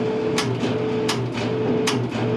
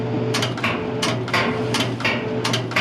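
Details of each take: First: Whirlpool MGDC200XW2 gas dryer with no heat, switched on and off repeatedly: motor hum cuts in and out with no gas-valve clunk near the front left, so power is lost before the burner; blown thermal fuse. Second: Whirlpool MGDC200XW2 gas dryer with a no-heat complaint, after replacing the thermal fuse kit: sharp clicks about twice a second over a steady low hum as the gas valve energizes; working normally.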